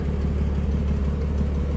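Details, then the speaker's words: 1946 Plymouth Special De Luxe sedan, inline six, warm from indoor storage, unchoked: soft, even low idle hum, steady rhythm, no misses or knocks; normal idle. "Slip around to the back in here, how smooth that inline 6 runs."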